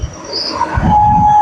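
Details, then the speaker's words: CNC machine Z axis jogged after mechanical reconditioning with new support and motor-side bearings and coupling: steady loud mid-pitched hum as the axis moves; servo motor gain tuning no longer matches the changed load. "ये जो humming sound आ रही है ये देखिए। तो ध्यान से सुनने के लिए बहुत तेज एक आवाज आती है।"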